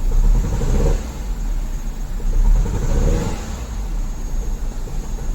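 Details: Mini Cooper petrol engine with fault codes 2771/2781, given light revs after the cylinder 1 ignition coil was swapped to cylinder 4, runs rough and uneven; the misfire moved to cylinder 4, so the ignition coil is faulty.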